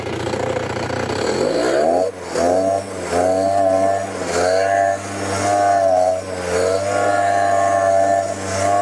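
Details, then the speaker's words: Curb-found Ryobi leaf blower after installing a replacement blower assembly: small two-stroke revving up and down with a loose metallic muffler rattle most audible at low speed; slight bogging at full throttle, carburetor may need adjustment. "That sounds terrible at low speeds, but that's that muffler rattling around there."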